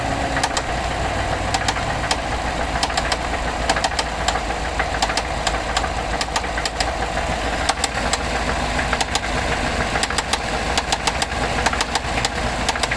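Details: 2014 GMC Sierra 6.2L with 100k miles at idle: sharp, uneven ticking and knocking, possibly a spun bearing; it shut off at 45 mph the day after a rear-end collision that hit the exhaust, with white exhaust smoke and steady 40 psi oil pressure.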